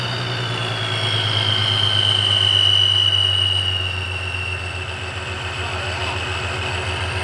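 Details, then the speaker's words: 3.7 V6 Mustang with ProCharger supercharger, started after both brackets were shaved to fix belt misalignment and belt dust: steady even idle, low hum, faint blower whine, no rubbing; runs okay. "so now I just need to start her up and see if everything's good back here and how it runs he's running okay"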